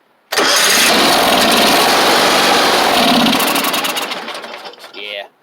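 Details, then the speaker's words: John Deere X500 garden tractor: engine catches with a loud rough burst for a few seconds, then sags and dies, not responding to choke or any input; fuel issue, carburetor solenoid or fuel pump suspected. "I don't think that the solenoid and the carburetor is working like it's supposed to we'll do that a couple more times could be a bad fuel pump yeah it's not responding to choke or any input"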